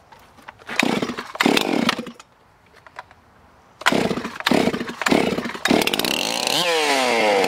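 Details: Stihl MS361 chainsaw after oiler replacement: it fires up after a few pulls and revs cleanly in quick bursts, then settles into a strong steady run. Saw sounds healthy.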